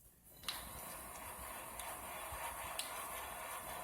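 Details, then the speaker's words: C5 Corvette rear wheel bearing, removed and spun by hand next to the microphone: dry gritty whir with faint uneven ticks from pitted bearings and races, felt as a growl and vibration while driving, confirmed by stethoscope; worn wheel bearing. "It's not really a squealing sound that it makes audibly that you can hear. It's more of a vibration, again, from the pitting on the bearings and the races that transfers into the body and kind of makes the sound that way."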